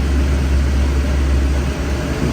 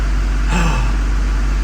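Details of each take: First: Duramax diesel after new fuel lines and bleeding, check engine light back on: deep idle with an uneven, lumpy beat under a steady drone, running rough; owner suspects air in lines or the fuel filter head. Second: Duramax diesel after new fuel lines and PPE race fuel valve installed to fix fuel rail pressure issue, cold engine, rail pressure holding near 5700 desired: short steady, even idle with deep smooth drone, no hunting or stumbling; normal idle.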